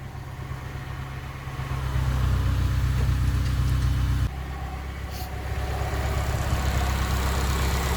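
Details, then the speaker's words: Datsun 510 four-cylinder petrol engine, now running on all 4 cylinders after injectors bench tested and flow tested, idling evenly with steady low hum, no misfire; fuel pump quiet. "you hear that? It idles. Lovely."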